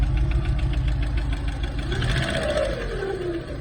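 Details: 1990 Peugeot 605 2.0 SRi, 121 hp, after engine reassembly, idling with a steady rapid knock of about three to four beats a second; unexplained, and it may vanish after revving.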